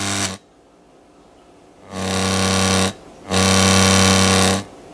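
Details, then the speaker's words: Montgomery Ward Airline 74WG-1510A AM tube radio on a bulb-limited supply: loud steady low buzz switching on and off in bursts, level following the volume control; failing filter capacitor suspected. "sted silent not making the noise at all oh there we go oh I can control it with the volume though"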